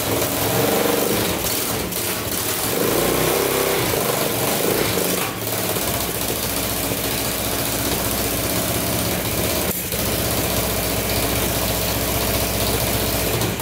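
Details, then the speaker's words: Circa 1980 Yamaha XT500 single, first start after about 20 years, exhaust pipe off, throttle adjusted: loud open thumping, uneven and hunting, smoking heavily, won't hold steady idle yet. "oh yeah i think we're close guys she fired up smoking pretty good though"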